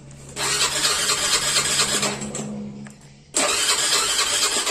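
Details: Honda Beat FI scooter with spark confirmed present and compression later found good: starter whirs in two long cranking bursts but the engine never catches or fires; cranks without starting.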